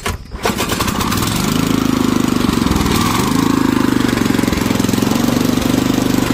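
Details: Power tiller engine just after carburetor cleaning, started on choke: pulls over, catches within half a second and settles into a fast, even single-cylinder beat with no misses. Running normally.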